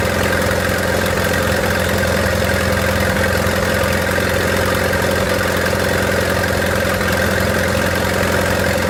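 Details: 1928 Farmall Regular tractor engine idling after carburetor tweaking, spark advanced about halfway: a steady, even low chug with a constant hum and no knocks or misses. Smooth normal idle.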